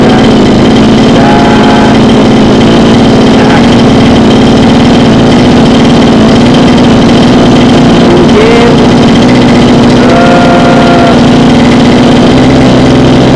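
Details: Small two-stroke mini water-pump engine on petrol-oil mix, after repair of hard starting and the fuel starvation that caused racing idle; holds a steady, even buzzing idle with no misfire or surging.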